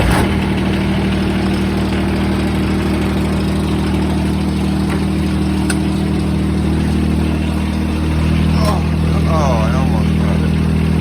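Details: John Deere 455 compact tractor with a 3-cylinder Yanmar diesel, started with a short glow-plug wait: a steady, low, even putter with a slight pitch shift near the end, a smooth, healthy idle.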